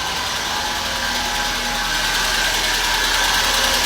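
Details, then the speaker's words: Car engine with a fast, light, regular tick about three per second over a steady idle; hydraulic lifters tapping, replacement of the lifters and oil pump considered necessary. "E o problema desse carro certamente é tucho, tá batendo tucho, né?"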